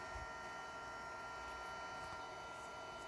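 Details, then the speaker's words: Mercedes S320 throttle actuator after repair, energized with other units shut off: faint steady electrical buzz of constant pitch, the throttle active and its clutch coil working; normal throttle actuator operation. "don't know if you can hear it I don't know if you hear that little kind of like buzzing noise on it so that is the working throttle activator that's how it works"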